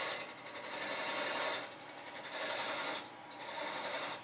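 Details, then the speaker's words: Cadillac 429 cylinder head valve job, cutting a very hard exhaust valve seat on heads repaired many times: a shrill ringing squeal rides over the scraping cut as the cutter tries to chatter; speed slowed and Windex used to prevent chatter. "I can slow the speed down and watch it come in to make sure we don't get any chatter on these really really hard exhaust seats the chatter is the key you can hear it really trying to chatter"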